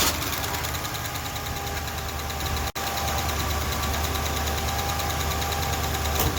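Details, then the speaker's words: Ford LTD idling with valve covers off to locate a clack, with milky oil from the drain: steady idle with light quick ticking about three per second, a top-end valve train tap. "i'm going to start with no valve covers so i want to see which one's clacking"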